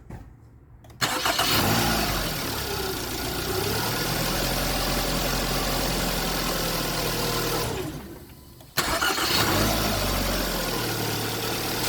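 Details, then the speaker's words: 2011 Hyundai Sonata, first start after starter replacement for a no-crank no-start. The starter spins briskly and the engine catches cleanly to a steady idle, then a second clean start follows; normal cranking and start. "cool it didn't short out that means the starter's not shorted and I didn't hook anything up backwards"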